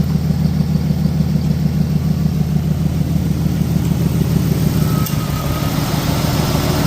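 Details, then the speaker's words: 1996 Jeep Cherokee at idle with spark plug number 2 deliberately unplugged: steady lumpy stumble about three per second as one cylinder drops out; misfire, OBD2 not flagging it. "Oh yeah, it is misfiring because I unplugged spark plug number 2."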